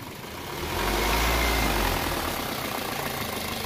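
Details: Toyota Corolla VVT-i four-cylinder at idle: a busy, rattly clatter rides steadily over the engine note, which the mechanic checks as noise from the timing chain.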